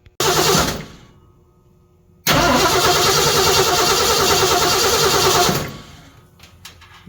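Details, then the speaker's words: 1978 Ford F-150 big-block V8 after serpentine belt drive swap, battery just hooked up, fan and exhaust not yet finished: brief crank, fires and settles into a steady, even idle with no belt squeal or chirp; clean start. "I'll hook up the battery and we'll crank it over at least so you can see it"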